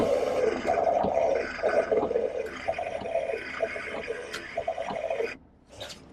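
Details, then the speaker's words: Jeep Wrangler TJ 4.0 rear wiper motor, rarely used: a warbling, croaking 'gremlin' whine pulsing about four times a second as the wiper sweeps. Owner is unsure whether it needs lube or a new motor; abnormal wiper motor noise. "yeah it sounds kind of like a gremlin and uh if any of you Jeep guys know what that is if I need to lube it or if I need a new motor or what what that noise could be let me know"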